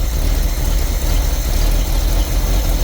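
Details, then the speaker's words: Carbureted engine with choke being pushed in gradually: low, even engine rumble settling to a steady beat with no misses or stumbles as the choke comes in; idle smoothing out. "See how it smooths out? That's a beautiful thing."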